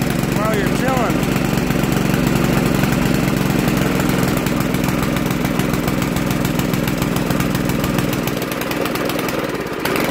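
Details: Poulan Pro 800 Series 26" tiller, Briggs & Stratton 105cc, about 12 years old, unused since last fall. It chugs steadily at low speed with a slightly uneven beat. Running a bit rough; owner suspects the carb needs cleaning and notes the choke bounces around.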